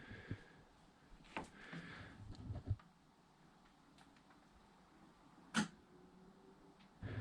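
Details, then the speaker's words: Home-built EV conversion plugged into a basic three-pin plug charger: sharp, clean clicks as the high-voltage circuit contactors close, then the charger fan starts as charging begins. "So, you hear that click. So basically that was my circuit conttors closing to make the high voltage circuit."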